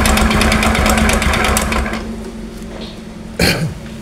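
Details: Honda Supra X 125, carbureted, revved: harsh, rapid metallic knocking, extreme under throttle, easing as the revs drop. Tentatively suspected to be two knocks, connecting rod knock and piston slap.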